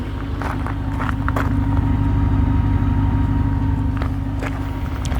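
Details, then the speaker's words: 1992 Lincoln Town Car limousine after cleaning the idle air control valve: smooth, steady engine hum building evenly on acceleration with no air-leak hiss; slight crackle in the exhaust; normal acceleration. "Il y a plus le bruit de fuite d'air quand on accélère. C'est appréciable."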